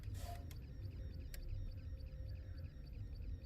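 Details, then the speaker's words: Dell OptiPlex desktop that won't power on, only blinking orange: faint, fast, steady chirping ticks over a low hum from the power supply, silent with the 24-pin ATX unplugged; no short found; power supply whine. "yeah I think you can hear that sound so I took off the if you remove the ATX connector here the 24 pin there it goes silent so my assumption was that I've got a short circuit here"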